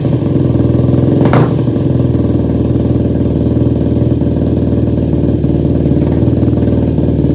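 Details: Yamaha YFZ450 ATV rebuild, first start after engine install and carb rejetting, no choke, fuel petcock accidentally left off; single runs with an uneven lumpy beat and one sharp pop early on; owner suspected carb jetting.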